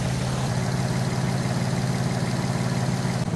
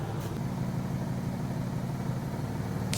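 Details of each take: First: Infiniti G35 V6 at steady idle after a misfire was fixed by retightening a loose spark plug; a faint puffing tick under the low rumble comes from underneath. Small exhaust leak. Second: Nissan G35 at idle after a startup misfire: plugs checked and a hand-tight plug tightened, possibly another vacuum leak found, codes cleared. Smooth, even purring idle with no miss or knock; a slight exhaust leak is audible underneath.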